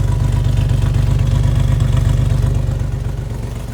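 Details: Chevy S10 idling at the tailpipe after fixing a vacuum leak: steady even pulse about four times a second, no misses, running smoother and cooler; idle mixture screws next to be adjusted.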